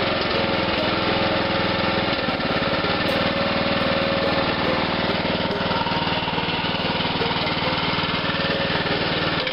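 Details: Abandoned lawn mower's single-cylinder engine, which had been cranking too slowly, running on its own after transmission fluid was squirted into the cylinder: rapid, steady chatter with a rough, smoky edge at low speed, burning off the exhaust.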